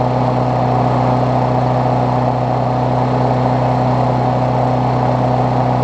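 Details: Briggs Classic engine swapped onto a Bolens push mower deck, run after fresh gas and 16 oz oil, temporary throttle setup: steady mid-pitched drone at constant speed, no misses, surging or knocks; running healthy.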